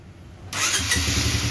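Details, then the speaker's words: 2006 Honda CBR 150 (old model), original and stock, for sale. One press of the electric starter, a brief whirr, and the single fires at once and settles into a steady, even idle. Starting, engine and electrics are healthy. "langsung aktif teman-teman itu menandakan mesin dan kelistrikannya oke langsamnya juga stabil teman-teman"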